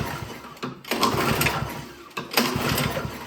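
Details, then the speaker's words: Toro Power Clear single-stage snowblower that backfired and won't start, being pulled over to check compression; the oil was very low and was topped up. Slow, uneven pull with a steady chuff each stroke and no scraping: compression sounds healthy. "that's sounding really good to me."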